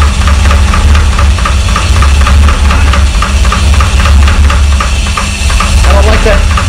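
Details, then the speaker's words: 1985 Porsche 928S first start after fuel pump and filter replacement, having sat over the winter with the oil a quart low. Quick, even ticking, about four or five a second, over a deep rumbling idle: valvetrain ticking from low oil level. "Unfortunately, that noise was a lack of oil. We quickly realized we had not replaced the oil. It was down a quart"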